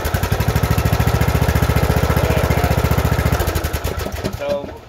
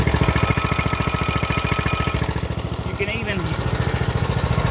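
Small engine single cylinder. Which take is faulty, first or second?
second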